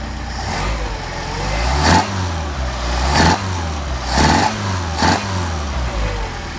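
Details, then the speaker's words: Mercedes 190SL with rebuilt Solex carburetors, linkage reconnected: four quick throttle blips rise cleanly and fall back to a steady idle with no lean popping or spitting, excellent response. "Okay, excellent response."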